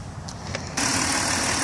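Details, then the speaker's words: 2002 Dodge Grand Caravan SE, 3.3 V6, 148K miles, new battery, intake and valve cover gaskets. Start then steady, smooth idle with no knocks or misses; healthy. "it has a 3.3 v6 engine it idles smooth it sounds good the engine responds well"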